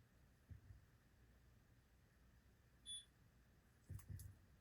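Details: Ademco 6139 keypad on a Vista 10SE panel, data wires held onto terminals: single short high beep in a quiet room followed by handling knocks; keypad beeps but isn't communicating, possibly open circuit, cause suspected, not confirmed.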